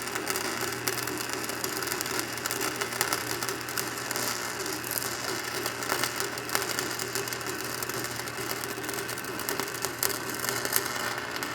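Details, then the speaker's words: Stick welding 5/32 AC/DC 7018 rod at about 150 amps (rod rated 140–180) repairing a box blade hitch: loud steady arc crackle and sizzle; owner suspects the welder burns hotter than its setting. "crank up the should be about 150 there and I still think this welder Burns hotter than it's supposed to now I might be wrong but you guys let me know what you think when you hear it"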